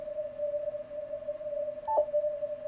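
A steady pure tone near 600 hertz rings continuously with faint hiss; that's switching supply interference coming through the receiver.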